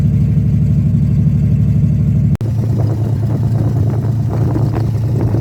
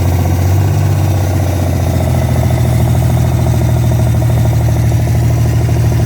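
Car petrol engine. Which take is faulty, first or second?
second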